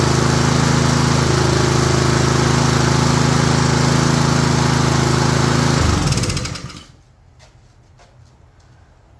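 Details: Honda engine on a Craftsman self-propelled mower, no-start fixed by correcting a missing, out-of-place gasket: small single-cylinder pops along steadily for six seconds, slightly smoking, then winds down cleanly; runs properly.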